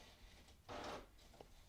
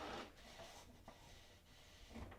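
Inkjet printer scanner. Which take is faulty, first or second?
first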